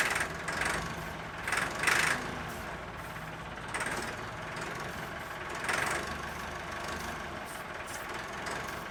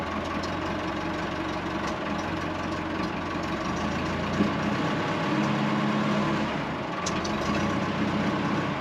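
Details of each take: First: Late-1980s/early-1990s Massey Ferguson 50H backhoe, 4-cylinder Perkins diesel, long-sitting: runs with no knock, tick or bang, just a few uneven rev surges; fuel not fully primed, air in lines suspected; engine sounds good. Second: Late-1980s/early-1990s Massey Ferguson 50H 2WD backhoe loader, 4-cylinder Perkins diesel, on a restart attempt: a quiet diesel chugs unevenly at low speed, beat wavering and sagging near stalling; fuel not fully primed, owner suspects air in the fuel lines.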